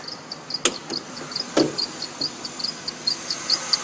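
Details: Mercedes-Benz engine at cold morning start-up with short, sharp chirps several times a second over a quiet idle; belt squeak disappears after about 10 minutes, suspected weak belt tensioner pulley or idler pulley, not confirmed.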